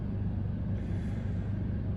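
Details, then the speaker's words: Mobile clinic generator started from its panel (prime held about 10 seconds, then start held until the light turns solid): a steady, even low rumble with no knocks, surges or rattles; the generator runs smoothly. "Release and then hold down start until the light turns solid and you hear the generator running. Now that the generator is running, navigate just below that to the inverter switch panel and turn the inverter on."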